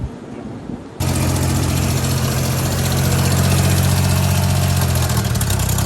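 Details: Daihatsu HiJet mini truck, previously hard to start with blow-by into the radiator and coolant leaks. After replacing the head gasket, timing belt, water pump, bearings and valve cover gasket, it starts and settles into a steady, even, smooth idle with no knocks or misses.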